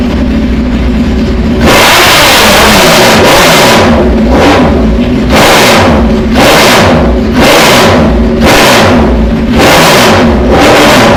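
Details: Motorcycle with fairings off after routine maintenance: lumpy loping idle, then throttle blips about once a second with revs climbing and dropping cleanly, snappier than before; normal idle and revving.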